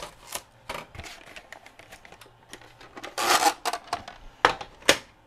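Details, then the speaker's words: Sharp VC-H972 VHS VCR bought new around 1996-97, unused since about 2003: irregular clicks and short whirring bursts as it fails to load and eats the tape; stuck back-tension band brake found. "It won't even load the tape. And it's going to eat it, I'm sure. Yep. Ate the tape."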